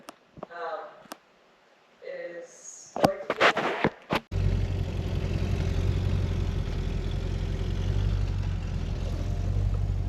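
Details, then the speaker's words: Gun runner engine with break-in oil, radiator temporarily installed, some coolant leaking; after a few clicks it catches and settles into a steady, even low idle with no knocks or misses. Sounds healthy, normal idle. "She starts up and runs good. Sounds like a beast. An absolute beast."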